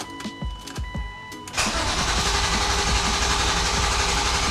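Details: 1999 BMW E36 M3 S52 just after first start following full head rebuild, new oil and filter, no coolant in yet; steady, even run with a strong, clean note; normal running.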